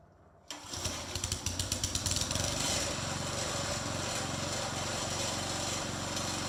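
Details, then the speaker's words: Briggs & Stratton 3.5hp front-tine tiller after carburetor diaphragm replacement: the small single-cylinder engine catches within a second, rattles up, then settles into a steady, even run with no stumbling or surging, so it is running normally. "sounds like we're ready to go"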